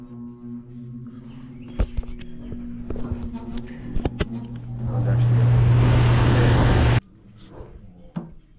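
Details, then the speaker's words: Heat pump outdoor unit fan motor giving a steady low electrical hum with clicks and a burst of rushing noise; suspected bad capacitor; thermostat on AC but unit blowing heat, vapor line 152°. "First thing right off the rip, >> [snorts] >> you can hear that fan humming."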